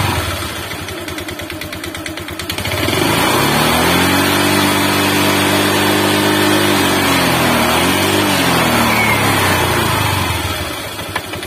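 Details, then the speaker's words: Honda Vario 125 scooter found completely out of oil, wouldn't start, running after refilling with used oil: rough uneven running with a steady knock about four beats a second swelling with revs; worse and heavy smoke when hot. "Setelah itu saya coba isi oli bekas ya, karena ini habis momplong ya, nggak ada sama sekali oli."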